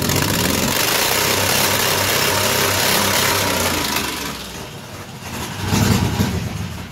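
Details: 2005 Ford Taurus 3.0 V6 idling with the O2 sensor removed to test for a plugged catalytic converter: an uneven idle with irregular stumbles and dips under a loud exhaust rush. The misfire persists, so the cat is likely not plugged; fuel suspected.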